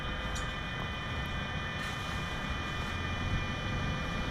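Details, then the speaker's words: Paint booth with CT AMU at initial start-up: the discharge damper actuator is about 75% open, and its limit switches allow the fans to start. Steady airy rush with constant whining tones and no rattle or scrape as the fans ramp up normally. "about 75 open there can hear the fans beginning to ramp up"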